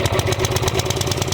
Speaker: Oh yeah. I like the sound of that. Turn that baby on run. Woo! Now that sounds good, baby.